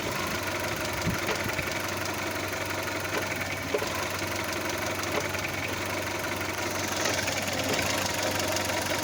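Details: Audi A2 at steady idle with a fast, even metallic rattle riding on top; owner suspects an engine mount, cause not confirmed.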